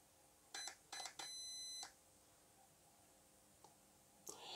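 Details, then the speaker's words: WLToys 144001 RC car ESC programmed with the button, no program card; two quick high chirps, then one long steady beep, a long beep meaning five, setting stepped from four to five. ESC programming beep code. "now i'll i i should mention that a long beep means five okay so a long beat represents five and then the short beeps represent one"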